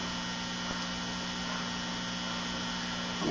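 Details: Late-1960s LectroLab Sound Project R203 series filament tube amplifier (2.3 watts) after servicing, idling with pilot light on: quiet, steady low hum with no crackle, buzz or popping; the low residual hum is normal.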